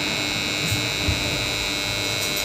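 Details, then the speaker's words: BCH DOL starter for a 3-phase induction motor, energised: loud steady buzz from the contactor, which works fine otherwise; noise from dirty magnet faces not seating fully. "शोर हो रहा है दोस्त आ रहे हैं। बहुतेरे शब्द कर रहा है। काम अच्छी तरह से कर रही है। लेकिन इसमें शोर बहुत ज्यादा है।"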